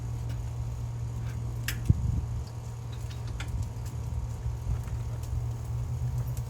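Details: Excell XR2500 (DeVilBiss) pressure washer, 5 hp Honda engine, after replacing bad spark plug that caused stalling after 15 seconds: steady low drone with even beat, no misses, surges or stalls; runs smooth and healthy.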